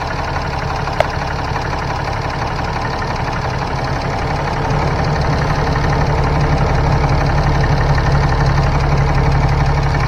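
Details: 2015 Ram 3500 6.7L diesel idling after turbo wastegate actuator replacement, coolant at 131, gassed a little. Even clatter that picks up slightly partway through, no turbo whistle or flutter. Normal idle.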